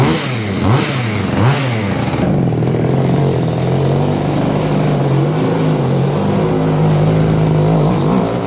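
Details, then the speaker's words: Goped-style small scooter, engine previously ran away, throttle now fixed to return fully: quick revs fall straight back to steady buzzing idle with no hang-up; throttle return working. "and the engine was running away before but I got it returning all the way now so see if this starts up"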